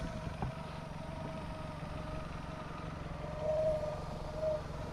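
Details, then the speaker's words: Boat inboard engine after a broken fuel line was replaced and a faulty IAC valve fixed: quiet, even idle with a soft low hum and light mechanical ticking, holding steady; normal idle. "IAC fixed it. Crazy."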